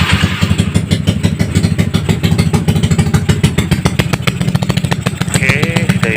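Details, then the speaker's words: Yamaha Mio scooter, tuned build, Suzuki Satria FU starter motor (dinamo) fitted, start with engine still cold and not yet warmed: quick even popping at idle, steady rhythm, no misses or rattles; normal cold idle. "Ini masih adem mesinnya ya, belum saya panaskan. Ini biar mesinnya naik dulu."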